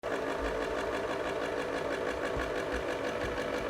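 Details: VHS tape rewinder making a loud, harsh whirring rattle because its lid does not close fully; fixing the faulty lid cures it.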